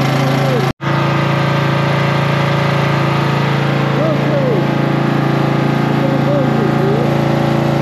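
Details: Cub Cadet tractor after battery reconnected and starting fluid sprayed in carburetor: steady, even engine beat at settled idle, no misses or knocks; normal running.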